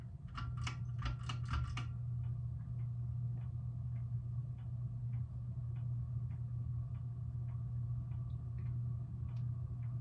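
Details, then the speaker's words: 1987 SMC Laguna (KB36) ceiling fan on low speed: steady motor hum with light loose ticking about twice a second from noisy, free-spinning bearings that were always loud. "You can hear the bearing already. What's funny is the brand new hugger that we put in there, bearing is already making a very similar noise, and it's been up less than a year."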